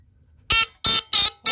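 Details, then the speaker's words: Tanita Mfg. Co. No 2 heat fire alarm (sounds at 145–165 F), cover refitted, triggered via test strip: four short shrill buzzing horn blasts with brief gaps; sounder working normally. "that's a bit higher that's interesting cool sounds a bit lower anyways that's pretty cool um really interesting I'm glad they work"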